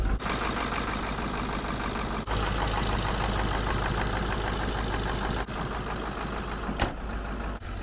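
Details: 1996 Ford F-350 crew cab 4x4 diesel, five-speed manual, restarted after refuelling, bleeding air and fitting new batteries: a steady, even diesel clatter with no misses or knocks; normal idle.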